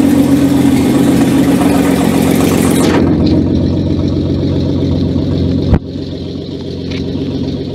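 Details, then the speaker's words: Renault R5 Maxi replica on its first start after a year of work, with temporary wiring and an open exhaust. Loud, steady idle with a raw rasp and no misses. No leaks were found. "Désolé pour le son. Et là je suis en échappement libre. Donc forcément elle fait du bruit hein. Tout est nickel, il n'y a pas de fuite."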